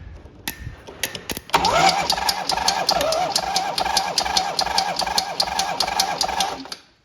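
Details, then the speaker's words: 1980 Harley-Davidson Ironhead Sportster 1000cc XLS, 27,076 miles, cranked by crossing the solenoid terminals: sharp even tap two to three times a second over the starter churn, front cylinder with no compression; small end or piston suspected. "Got it turning over, and there's a little bit of a knock on the front end, a tap. You think something to do with the little end or the piston."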